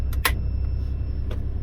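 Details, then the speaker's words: 90 Series Toyota Prado after fitting a DIY 155 L long-range main tank (214 L total), idling after switching tanks back without stalling: steady even low rumble with a couple of light clicks, no misses or knocks; normal idle. "that's been switched back over it hasn't died oh my God it runs it currently runs I can't tell y'all how happy I am of that"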